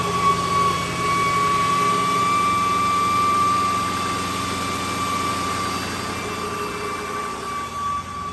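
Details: 2008 Jaguar XJ, original alternator failing: steady high-pitched whine above even idle, with battery warning light on dash; alternator finally failed.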